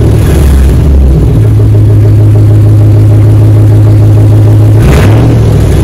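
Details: 2004 Dodge Ram 1500 Hemi 5.7 V8 after muffler and resonator delete, straight pipe fitted. Loud, deep, steady idle rumble with one quick rev near the end, no knocks or ticks; normal idle with straight-pipe exhaust.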